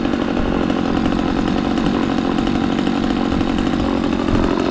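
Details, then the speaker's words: McCulloch Mac 3200 32cc two-stroke chainsaw, 14-inch bar, after repair: steady, even high-speed buzz with no stumbling or surging; chain oiling confirmed, runs and sounds good. "uh so everything's good with this chainsaw it runs good sounds good"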